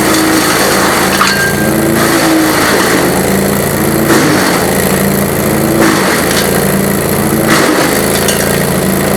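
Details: GreenMech Arborist 130 wood chipper chipping on dull blades: steady engine drone sagging in a slow rhythm, roughly every 1.7 s, as wood feeds; labored, blunt chipping with reduced productivity but no downtime.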